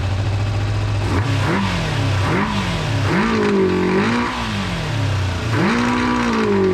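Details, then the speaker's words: Kawasaki GPz400R track bike revved, tank holding plenty of fuel, carb floats no longer dripping: revs climb then sag and stumble on each blip; bogging on acceleration, owner suspects fuel rather than anything else. "it's bogging down a bit i'll show you when i rev it it really does bog down which is another reason i think it's um fuel rather than anything else"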